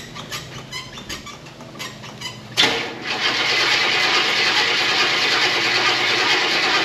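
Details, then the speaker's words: 1974 Buick Apollo with Buick 350 V8, performer intake, after sitting a long time: cranks briefly then catches into a fast, slightly uneven idle with occasional stumble; slight misfire. "It's missing a little bit, but for as long as it's been sitting, pretty much started almost right up."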